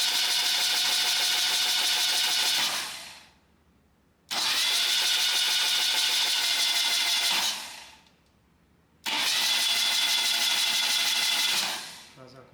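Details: Freshly restored 1977 BMW R75/7 on the work table with the ignition coil unplugged, so it cannot fire: three even cranking bursts of about three seconds each, a steady whir, spinning the engine to check oil reaches the rocker arms. Normal starter cranking.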